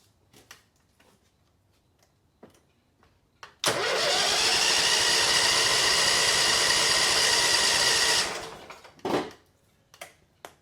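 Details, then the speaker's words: 2006 Mud Buddy HD Mini, 23 HP Briggs Vanguard, fuel filter found empty: starter whirs steadily about four seconds and the engine never catches, because the lanyard kill switch was not connected. "It's a kill switch. We need it connected. It needed. Oh yeah, that's going to be a problem."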